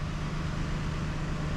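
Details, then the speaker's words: 2017 Toyota Highlander, push-to-start, running on a newly installed Start-X plug-and-play remote starter: steady, even low idle rumble with no knocks or misses; engine sounds healthy, and opening the door shuts it off as a safety feature. "she's running. So when I open this, it shuts it off. That's just safety, guys."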